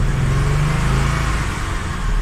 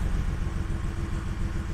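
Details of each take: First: Audi 100 C4 2.8 petrol six-cylinder, after repairs and cooling-system bleeding: engine revs up smoothly and falls back cleanly with a deep rumble, but the exhaust rattles and needs attention. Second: Audi 100 C4 2.8 petrol V6, said to have a freshly rebuilt engine, previously misfiring, lacking power and stalling; after repair and bleeding the cooling system: a low, even idle that revs up smoothly with no misses, though a rattle remains from the exhaust.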